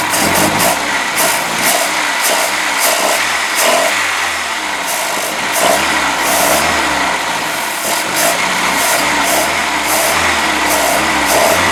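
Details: Boat inboard motor just after new manifold installation, run about 10 minutes on water muffs: lumpy, hunting idle with misses under water splash; ignition timing off and carburetor needs rebuild, but oil still water free.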